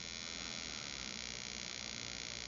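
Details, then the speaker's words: RCexl DLE30 ignition on a tester at high rpm (7,000–15,000), powered by an A123 1100 battery with about 20% charge left (6.5 V) through a dual-diode reducer, seeing about 4.7 V: thin, even high buzz with no misses; normal despite low voltage. "sounds just the same as it did on the full battery so the arc 6L is not at all unhappy running at 4.7 volts"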